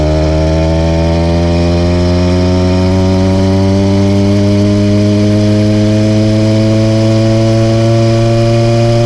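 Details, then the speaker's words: Seeutek PK80 66/80cc two-stroke bike motor with freshly port-worked replacement cylinder, rejetted, on a top-speed run: steady high drone, firing uneven and hollow after starting strong, four-stroking and losing power, only 31 mph; cause unconfirmed, rich mixture disputed. "During that clip, you could hear the motor started out really strong, was pulling hard, and I thought that we were going to get a nice top speed and the video could end there. Unfortunately, it just completely cut out and hit a wall, but this was different than before."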